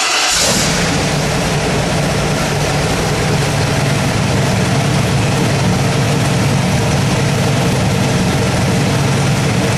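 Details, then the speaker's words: Ford 347 stroker V8 turnkey crate engine, final test start with its gauge cluster before going to the customer. A brief crank, then it catches and settles into a strong, even note with no knocks or misses; a healthy engine. "Okay, here's our 347 stroker Ford. We're going to start it up."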